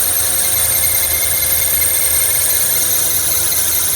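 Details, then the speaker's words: 2009 Toyota Kluger/Highlander 3.5 V6 at idle, before replacing the drive belt and tensioner. A constant high-pitched squeal comes from the noisy belt tensioner and stops briefly when sprayed. Serpentine belt tensioner squeal. "so this one had problem itself the build tensioner is a bit noisy so i'm going to replace today the dry belt and the belt tensioner"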